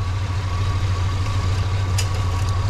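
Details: 1970 Monte Carlo V8 idling after first start after sitting, whisper quiet, tach reading wrong, trans fluid a little low: low even idle with steady rumble, no ticks, knocks or stumbles; sounds healthy.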